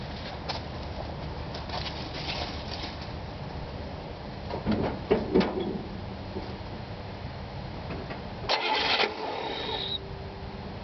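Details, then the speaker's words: 1964 Buick LeSabre, unmolested 50-year-old car with new aftermarket dual exhaust: engine catches and settles into a steady, mellow low rumble at idle with no misses or knocks; idles smoothly. "is pretty smooth see she's got a good Rumble"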